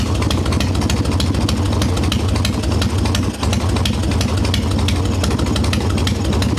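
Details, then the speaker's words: Harley Evo Softail V-twin after fixing loose intake bolts, cracked vacuum cap and idle speed screw, engine still cold: even, steady low idle with regular firing pulses, no misses or surging; holds a dead quiet idle on an untuned mixture screw. "man it's holding a dead quiet Idol I don't like running them like this though actually really impressed that it's doing that on an untuned mixture screw"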